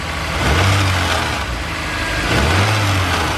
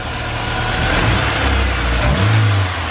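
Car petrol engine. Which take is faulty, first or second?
first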